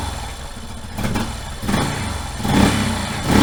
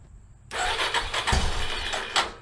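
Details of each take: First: 1989 Yamaha Moto 4 YFM350ERW single-cylinder ATV on first start after head repair with new piston and head, choke off, breaking in: even idle, then three short clean rev blips settling back without knocks or misses; healthy running. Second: 1989 Yamaha Moto 4 YFM350ERW single, first start after head repair with the carburetor tapped to stop a leak; cranks with rhythmic pulses but never catches with choke off; it fires right up once choke is turned on.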